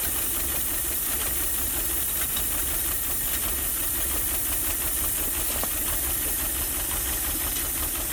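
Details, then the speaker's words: Ford Maverick not run in 26 years, first idle with no working fan or radiator, PB Blaster on the manifold: uneven loping idle with faint irregular chuff and hiss. "A little choochie, but that's okay. Hasn't ran in 26 years, let alone idled."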